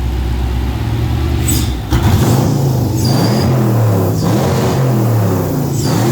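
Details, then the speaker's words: Ford Capri with swapped Mercedes M113 5.0 V8, first runs, top-end noise quieting (possibly hydraulic lifters), deliberate exhaust leaks: deep rumble with a ragged, stumbling pull when blipped, no smoke or misfires; stutters because the fuel table isn't tuned yet. "No smoke. No misfires. The fuel table isn't tuned yet, so it will stutter and"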